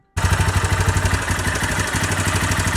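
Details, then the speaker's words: Honda CBR250R single-cylinder idling, before repair: a dry metallic clatter over the engine thump, identified by ear as timing chain noise; the timing chain was then fixed. "സിബിആർ 250 engine noise ആയിട്ട് വന്നതാണ് അപ്പോൊ sound കേട്ട തന്നെ മനസ്സിലാകും ഒരു ടൈമിം ചെയിന്റെ sound ആന്"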